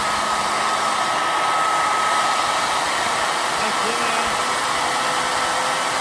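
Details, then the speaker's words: Two-stage bladeless turbo with 25 discs in the first stage, unbalanced and still on its old bearings before new ones go in: smooth, steady airy hiss with a faint high whistle and no rubbing. Very quiet; normal running. "This thing is really quiet. Wow. I can't wait to get the new bearings in there. These ones are much nicer. This thing just sounds so nice."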